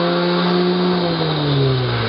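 Loud smooth whir that holds an even pitch, easing slightly as it spins freely, no grinding or clicking; a healthy starter running unloaded.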